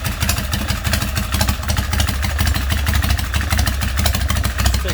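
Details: Harley big twin Springer bobber with hand shifter/clutch and fuel pump, rear exhaust fitted with small baffles because it was too loud before; lumpy, loping V-twin idle with deep exhaust pulses about one beat a second, even and settled; normal idle.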